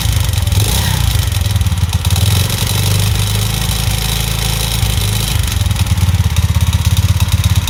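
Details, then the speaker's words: Alpha/Delta/Vento moped bored to 110 cc with a cheap Chinese piston and rings, at idle: loud fast metallic rattle over the putter, seemingly worse than when first assembled; piston knock, to be replaced with an original piston. "он очень сильно бренчит и такое ощущение что до этого он бренчал меньше когда я только собрал его"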